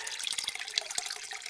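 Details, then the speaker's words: Basement sump pump running March 8, four days after rains, discharging water: steady hissing splash pouring rapidly out of the drain pipe by the sump pit, like a sink at half speed, no gurgle or surging; normal discharge flow. "There goes the sump pump. Water's getting evacuated. There's the sump. And now we'll do a close-up, and you can hear the water running pretty rapidly out of the drain pipe here."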